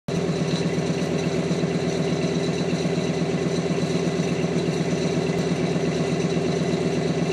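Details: 1999 Dodge Ram 1500 5.2 V8, cold start, after running about 5–10 minutes: steady, even V8 idle with low rumble that revs up to a raised speed and never settles; high idle, cause unknown.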